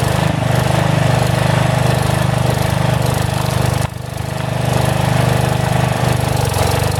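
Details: About 35-year-old log splitter refreshed with new pump, valve, filter, rebuilt cylinder and hoses, swapped-in 12HP single-cylinder engine: steady thump, brief speed dip, slow recovery, slight surging; governor hunts a little, owner suspects carburetor needs adjustment.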